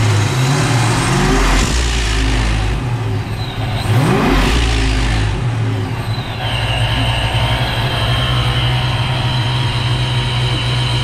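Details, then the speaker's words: Engine blips up and settles with no hiss or flutter between revs. With a stronger spring fitted, the blow-off valve now stays shut, where before it ended up wide open. "so this is now staying shut before it was eventually wide open but this Springs a lot stronger now if we rev it up a little"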